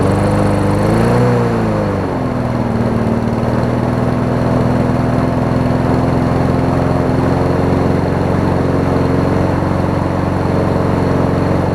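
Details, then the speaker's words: Troy-Bilt self-propelled mower with donor Honda engine replacing blown Briggs, pre-2012 engine on post-2012 deck, manual choke; driven up driveway under self-propel, smooth even hum after rev change, running better than originally. "I think it wants to take off. I can already tell it's running better than when I originally had it."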